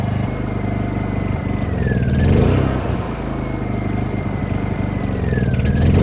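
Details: Honda EU2000i generator after cleaning a badly fouled carburetor and fitting an ignition shutoff switch mod: steady small-engine drone swelling every few seconds, with a whistle sliding down in pitch. Normal running.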